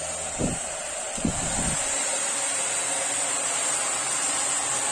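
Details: Taiff hair dryer after replacing the noisy bearing (mancal), reassembled: smooth, even high whoosh with no rattle, grinding or vibration once running, just a couple of handling bumps at start; runs normally.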